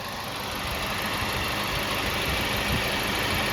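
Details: 2010 Kia Soul after replacing the power steering and A/C pump V-belts to cure a long-standing squeal: steady even idle with no belt squeak, only a very faint whistle in the background; belts now run quietly.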